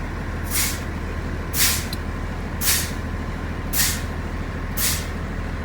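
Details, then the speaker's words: Truck during CDL low-air warning test, diesel idling: brakes pumped repeatedly, sharp air hisses about once a second until the warning buzzer and light come on at 70 psi; normal air brake application and release. "so for this test about the pump the brakes repeatedly until the light for the buzzer comes on so here we go"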